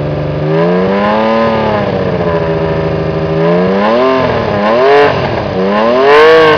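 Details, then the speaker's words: Honda CBX 1000 six-cylinder, stood unused a couple of years, needs service, aftermarket loud exhaust and air filters: smooth rising and falling free revs, clean even tone, loud open exhaust; runs okay. "as you can hear it runs okay but it does need a service because it's been standing still for a couple of years i will rev up the engine now for you so you can hear it better"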